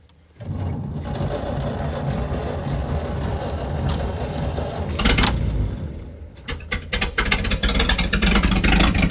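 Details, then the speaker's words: Open-exhaust running of a 97-year-old Buick Standard Six, muffler removed after fixing a fallen exhaust pipe that had blocked the outlet: cranks, catches, loud unmuffled rumble, even idle, revs picking up cleanly; runs much better, engine healthy. "There's no muffler on this right now. I'm going to put that muffler back cuz that muffler is still good. Um but let's start the car. It's going to be super loud, but let's see if it works better."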